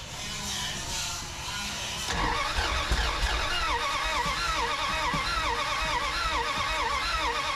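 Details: 1981 Dodge D150 cranks and sputters but won't start: uneven cranking with weak ragged sputters, never idles. Spark now present, only a little gas in tank (fill hose leaking); owner suspects fuel starvation and choke problems.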